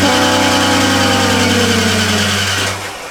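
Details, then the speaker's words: Rebuilt 302 in a 1985 Ford F-150 after the distributor was removed and refitted: steady starter drone with an even beat (about 167 turns a minute) that never catches; no RPM signal, and the distributor turns out not to be powering on. "W well why are you not starting for some reason I'm not getting any RPM and the computer is not sinking with the distributor"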